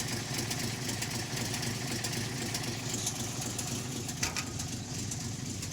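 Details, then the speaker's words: REO M-35 truck petrol engine, cold, with a blown head gasket: uneven idle skipping at least one, probably more cylinders; idles only while cold, stalls when warm without blipping the throttle. "You can already hear in just that little section there, you can hear it skipping at least one cylinder, but probably more than one."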